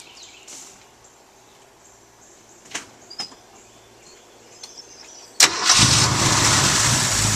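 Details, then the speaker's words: Car after fitting the correct starter (a flywheel problem was first suspected): a single quick crank catches at once and settles into a steady, even idle; starts and runs normally. "I'm going to start up so he so my cousin can hear it start up and run"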